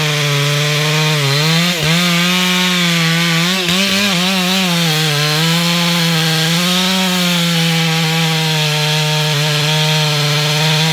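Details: Stock MS461 with eBay ported muffler, well worn, over a year of cutting; hand round-filed chain used a week, no touch-ups; felling cut in big northeastern red oak, camera a ways back. High steady scream dipping slightly and recovering, no chatter: sharp chain cutting normally.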